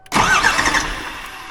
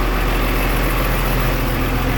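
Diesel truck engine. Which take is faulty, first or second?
first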